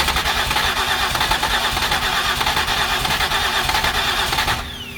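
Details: 2008 Ford Escape with previous repairs cranks long and steadily, trying to catch but never firing; compression test showed about 145 on cylinder 3, flagged as an issue. Mechanic believes he knows the problem, not yet confirmed.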